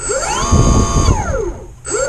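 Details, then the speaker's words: RC jet boat from the RBC Kits Moon Glow build, a hybrid running on a 3S battery: the electric jet pump whine sweeps up and settles, drops away, then spins up in reverse; smooth and even, the drive works normally. "you can hear the pump running that's sucking from the bottom"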